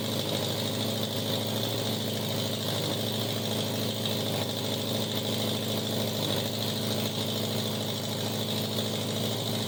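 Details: 1987 Honda Gold Wing GL1200 with electrical issues: intermittent cranking, exhaust backfire at key-off. Loud, raspy open-pipe idle with an uneven, stumbling beat rather than a smooth pulse; rough idle, cause unconfirmed.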